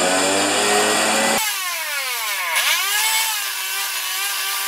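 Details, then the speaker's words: Husqvarna snow thrower during governor repair: screaming engine surging and holding far too high, about three times proper RPM, owner manually governing to bring it near right speed; governor out of adjustment, owner suspects throttle linkage in wrong carburetor hole. "all right we got lift off but we are running it about three times the proper RPM let's just turn it on and if I manually govern it I can get it to a about the right speed"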